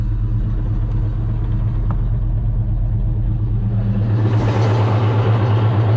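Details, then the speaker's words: 1990 Ford Mustang GT Fox five-speed manual, towed at a steep angle, possibly low on fluid. Only first and second engage. Rough, uneven low growl from the gearbox even in neutral with the clutch pedal down; suspected cooked transmission. "like it honestly it sounds so bad even in neutral here I'll let you guys hear it in neutral"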